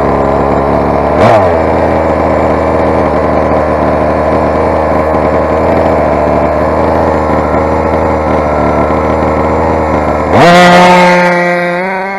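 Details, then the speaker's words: Rovan 45cc big-bore two-stroke on its first run, with modified exhaust header and swapped flywheel for a pull starter: an uneven high buzz that blips and sags, sounding lean. Carb settings are suspected to be off from the stock 11 setting. "it's quite obviously carb settings are white out I started out on stock 11"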